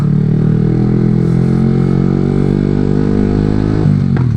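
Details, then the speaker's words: Yamaha R15 V3 with short-can Daytona full exhaust system, after retune: loud raspy exhaust with crackle as throttle closes and revs fall; excessive noise on roll-off, owner suspects lost back pressure from the new exhaust, possibly needing ECU reflash. "Can you hear this as soon as I roll off on the throttle? This bike is making a lot of noise."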